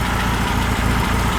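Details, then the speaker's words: Freshly built high-performance air-cooled VW flat-four for a Baja Bug, first run at the builder's shop, warmed up at bottom idle set as a starting point: low, even chugging beat about every quarter second, no misses or knocks. Normal idle. "awesome warmed up bottom idle right there so and it'll as the engine warms up your idle will go up a little bit more than that"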